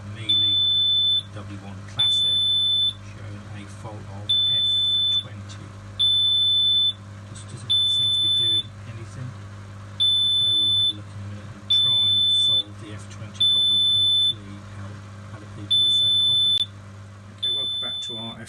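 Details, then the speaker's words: Miele W1 Classic washing machine showing an F20 error: ten high, steady alarm beeps about every two seconds. Debris in the drain filter stopped the pump turning; the fix was clearing the filter and turning the propeller. "just to recap we had an f20 problem machine kept beeping not working"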